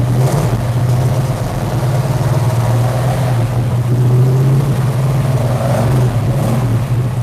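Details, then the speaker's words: V8 that used to backfire, now with a tall dual-plane RPM intake, 750 Holley double pumper and key-only start: a deep, steady rumble swells with each rev and drops back cleanly with no pops or backfires; normal running and revving. "sounds good doesn't it [Music] [Music] i just love to rev it up"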